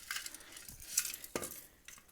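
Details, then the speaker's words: Old catalytic converter just removed from a Miata that likely ran for years with a blown head gasket and failed its smog test, shaken by hand: loose metallic clinks and rattles like broken catalyst material inside. Rattling catalytic converter. "that sounds bad"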